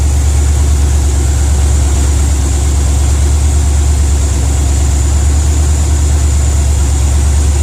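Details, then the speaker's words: 1992 (or 93) Ford F150 V8 with a high idle that ran terribly, distributor replaced by the previous owner with only three plug wires in the right place: deep, loping, stumbling idle with a steady miss from the misrouted plug leads. "i did find out why this uh this truck was running so horrible um this distributor right here was replaced and uh the person that replaced this was previous owner only had three wires in the right place"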